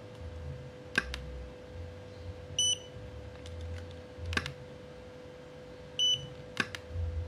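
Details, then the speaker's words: Godox V850 speedlite repaired for not switching on (board recovered, not replaced), tested at 1/4 then full power: sharp flash pops, each followed by a short clean high ready beep; recycles evenly and works normally. "kita naikin di power 1/empat ya kita tes Nih Om mantap Om langsung kita tes full power nih"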